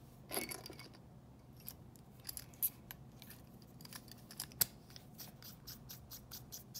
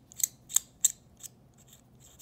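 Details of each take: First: Mechanical pencil barrel unscrewed after graphite lubrication of metal threads: quiet dry ticks and faint chirps, squeak nearly gone; remaining squeak from threads not yet coated. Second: Hexamatic mechanical pencil barrel unscrewed before fix: short, thin, high-pitched chirps from metal threads rubbing on metal, a nasty squeak.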